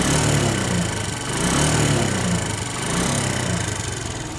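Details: SYM XS125 single-cylinder motorcycle engine at idle: dull, uneven knock over the exhaust beat that swells and fades; owner says it's surely not valves or chain, source unknown.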